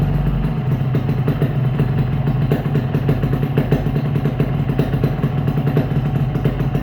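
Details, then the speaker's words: Yamaha RX-King two-stroke after replacing a rattling piston with a Riko piston: steady buzz through part-throttle blips with no clatter from the block. The engine block noise is gone. "Dia halus ya bosku. Jadi untuk suaranya juga dia halus, tiga sedikit tadi halus juga ya."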